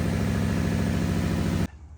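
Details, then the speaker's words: 2013 Subaru Impreza 2.0 non-turbo, customer complaint of misfire: idle with a regular stumble breaking the even beat, engine shaking slightly before cutting off; one cylinder dropping out. "se puede escuchar el motor acelerado y se escucha que no está parejo se ve como tiembla tiene un temblorcito Entonces ese es el problema que ellos vienen persiguiendo"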